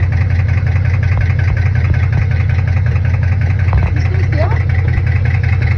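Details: Chevrolet Camaro SS V8 at idle: loud low rumble with a faint uneven ticking or knocking; lifter or rod knock suspected, unconfirmed.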